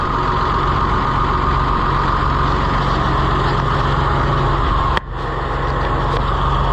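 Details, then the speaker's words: Oliver 1755 diesel tractor, 2,900 hours, likely original engine, cold start: steady, even idle chug with one sharp knock near the end; starts excellently in the cold despite worsening blow-by and slight smokiness. "It starts excellent in the cold. It's got a lot of, and it's getting worse the more I use it, but blow by and a little bit of smokiness, but boy, it sure fires up nice."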